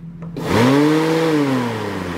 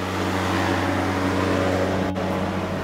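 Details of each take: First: 1991 VW Vanagon: the radiator fan spins up fast to a steady full-speed hum and won't stop. The AC switches were ruled out; the owner suspects a stuck radiator thermo switch. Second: 1991 VW Vanagon radiator fan running normally at low speed with the engine idling: a steady even hum. The fan had been stuck on high; the thermal sensor was suspected.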